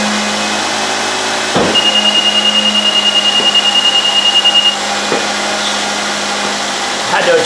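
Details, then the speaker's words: 2010 Nissan Altima 2.5L after alternator replacement: right after start a sharp high squeal pulses for about three seconds and quits as the belt seats on the smooth pulley, then it is fine. "to adjust that belt. That squeal was the belt kind of lining itself on the non-groove hose. Didn't come off, so now it's good."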